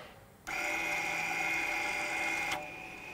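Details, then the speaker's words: Electronic parking brake released with an EPB service tool plugged into the OBD2 socket, ignition on, before a brake pad change. A steady high whir runs about two seconds and stops cleanly as the motors on both sides wind the caliper pistons back. "you can hear the servers on both sides of the car actually winding out the piston inside the caliper so now the brakes are released"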